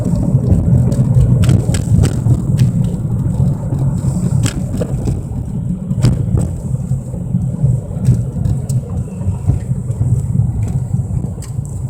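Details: 1997 Mercury Mystique while driving: loud low drone with scattered sharp clicks, starting on acceleration and louder with speed; owner suspects wheel bearing or rotors, source unconfirmed.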